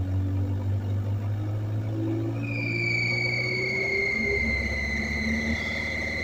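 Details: Kubota KX057-4 excavator: high squealing, sliding-pitch screech and hissing over steady diesel rumble; owner suspects a vacuum leak but found none in lines or connections, cause unconfirmed, possibly normal.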